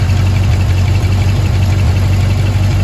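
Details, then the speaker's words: 1971 Chevy C20 V8 after fixing an exhaust leak by tightening the exhaust connection: deep, steady idle with even pulses and no puffing or ticking; it sounds sealed and much cleaner, with smoke only from penetrating oil. "got it sealed back up and now it's running sounding a lot cleaner and a lot better this smoke just from the penetrating oil"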